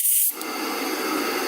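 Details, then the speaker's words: Leak-down test on a Honda 300EX with the piston at top dead centre; the engine runs but smokes heavily. Steady airy hiss while the cylinder is pressurised; heard near the intake, though the owner concludes worn rings. Cause unconfirmed. "all right right there is tea all right you can hear a little air coming out of here that means the rings are worn so it's definitely rings it needs hear that air coming out um compression is getting by those rings"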